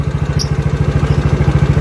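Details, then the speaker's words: Yamaha Mio GT scooter after an engine rebuild for severe front-engine knocking. Its fuel pump is now normal. Steady single-cylinder put-put idle with no knock or rattle. Normal idle. "ah ini hasil pengerjaan dari Ajeng udah nyala lagi cuy normal udah rencep lagi"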